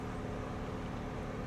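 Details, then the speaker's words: GM vehicle, 120,000 miles, idling at 1,000 rpm: steady, even low hum with no knocks, misses or whine; smooth, healthy normal idle. "Look at that. Engine sounds good."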